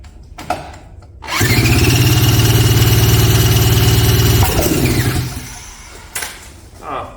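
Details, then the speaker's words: 1977 Polaris Colt 250 twin-cylinder snowmobile, unrun for about 18 years, cranked after a spark check: fast cranking with an occasional pop but no start. One cylinder showed spark and the spark seemed inconsistent; cause not yet found. "well that might have been that Popeye's looking for although my spark didn't seem real consistent here let's try her again see what happens"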